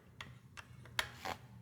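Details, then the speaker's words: Mountain bike front disc brake after a fork service and caliper realignment (squeeze lever, tighten caliper bolts, spin wheel). A light swishing scrape returns about every 0.4 seconds: the rotor is still rubbing the caliper and needs fine adjustment. "You can hear there's a little bit of noise and you just need to go back and forth."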